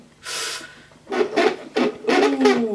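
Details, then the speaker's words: Hoover Sensory Floormaster TS2265 bagged cylinder vacuum, new unboxed: short rasping scrapes in bursts as the flex is pulled out of the cord reel; owner suspects dried-out mechanism needing grease. "I don't like the sound of that I think it's something's dried out in there"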